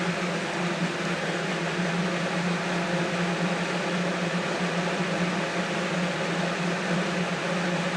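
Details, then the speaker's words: Never-opened 1980-81 Lasko (Galaxy) 3712 12-inch two-speed box fan, first run on high: smooth, even whoosh of air with a steady low motor hum, no rattles or ticks; much quieter than a well-used one, running healthy. "thing is so much quieter so much quieter than all right my other one"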